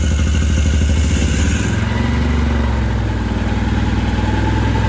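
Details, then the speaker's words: 2013 Can-Am Maverick 1000R on big tires, check engine light on, at idle: loud, clattery rapid ticking over the engine rumble from the CVT primary clutch, which is noisy. "This clutch also makes quite a bit of noise. It's pretty loud. You can hear that like ticking noise. That's just the primary clutch."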